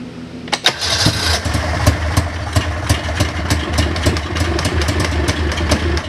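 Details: 1999 Ski-Doo Formula DLX snowmobile with badly tampered carburetors: catches after a short crank, then runs ragged with irregular pops and a stumbling, boggy beat; owner suspects flooding from unneeded choke, plans carb cleaning and fresh plugs.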